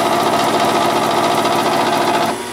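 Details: Gas furnace that fires then shuts off with no heat, heard in the basement: loud whirring hum with a fast steady mechanical rattle; failing blower motor needing replacement.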